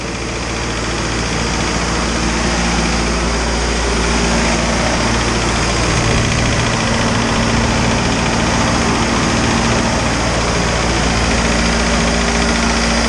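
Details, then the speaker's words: Isuzu 4BD2T turbo diesel at initial startup, warming up until the thermostat opens: even clatter at steady idle, regular rhythm, no misses or heavy knock; good oil pressure, normal. "man it feels good to hear this thing running finally"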